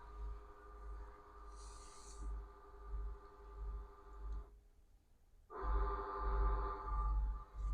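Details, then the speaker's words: Bus, first start about 24 hours after shop repair of a crank-no-start breakdown: steady warning chimes sound over a low, even diesel idle with a brief pause, engine running again; startup warning chimes with engine idling. "process there we go that's what we're looking for music to my ears all the alarms and everything"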